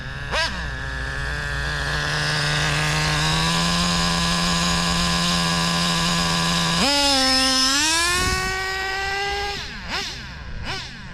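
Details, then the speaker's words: Traxxas Slayer Pro nitro RC engine with the low-speed needle dialed in (3-second pinch test) and half a tank of fuel: steady even buzzing idle, then a clean blip up and back down. Idle judged good and left alone. "it's actually pretty good I don't know if I want to mess with it"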